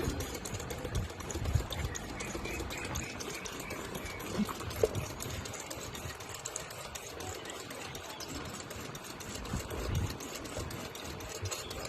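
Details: Honda City on CNG with shaky idle, injectors on cleaning bench, first wash: fast, even ticking over light machine hum; all injectors fire normally, no leaks or seepage, injector 1 blacker than others.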